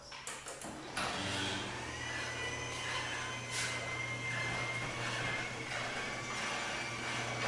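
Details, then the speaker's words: Garage door with belt opener opening before lubrication with white lithium grease: steady motor hum under loud, rough rolling and scraping rattle; noisy door, rail and rollers to be greased. "so it doesn't sound too bad but I still want to make it where it sounds a lot quieter now I'm going to open it here you see how loud it sounds"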